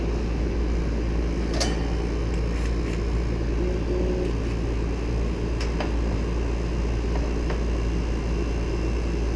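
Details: Ducane R-410A condenser restarted mid-recharge, still about 1 lb 2 oz short of factory charge: even low hum from compressor and fan with faint clicks, smooth and steady; normal running.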